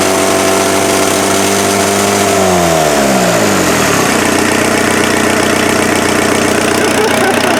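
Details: Freshened-up turbo diesel in an offroad Mazda truck: revs fall smoothly from a fast idle and settle into a steady, even idle with no miss or knock. Much smoother than the previous engine, no smoke; normal idle.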